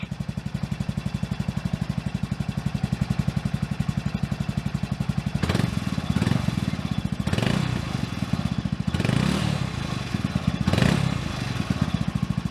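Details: Honda Grom with high-compression piston and high-lift cam fitted, idling and blipped: fast regular beat with hard metallic tapping on each throttle blip; engine knock before trying tappet clearance adjustment, cause unconfirmed.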